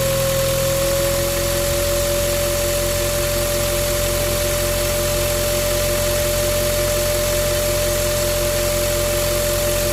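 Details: Ford Ranger T6 diesel just started, before turbo replacement: a steady mid-pitched turbo whine never wavers over idle when revved. The variable-geometry turbo actuator motor has also failed and its linkage won't move.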